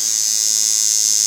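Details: Cheap $5 kit coil tattoo machine retuned with new armature bar and springs to line: steady high-pitched even buzz with no stutter or rattle, running smoothly for lining.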